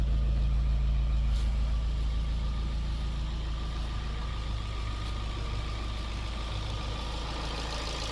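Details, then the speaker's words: 2012 Fiat 500, probably unrun for about a year, before testing the transmission: steady, even low idle with a smooth unbroken beat and no knock or tick; sounds fine; normal idle. "Sounds fine though. We'll see if the transmission works here in a second."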